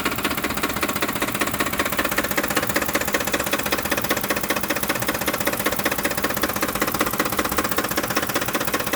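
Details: 2007 Ford F-150 5.4L 4x2 automatic, 119k miles, rough idle after deceleration: a steady knock under two per second over the rough idle, seeming louder on the fan side; cause not pinned down.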